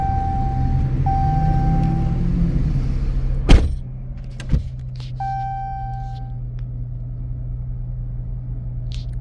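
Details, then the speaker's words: Dodge Challenger, start-up after cleaning throttle body and MAF sensor: deep steady rumble, louder with RPMs up at first, then settling lower, chime beeps over it; normal elevated idle after start. "It is gonna rev loud. Well, it is gonna start off with the RPMs are gonna go up."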